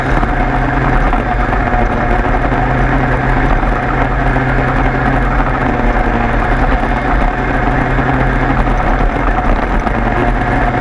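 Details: 103 moped two-stroke after leak fix, plug found very rich: steady even two-stroke burble at idle, no hunting or misfire; idles cleanly.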